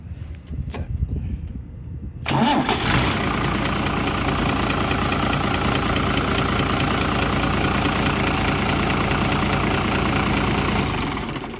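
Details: New Holland tractor diesel, hard starting blamed on a burnt starter motor armature and starter replacement: quick crank, catches within a second, settles into a steady, even idle with no stumbling; normal start and idle.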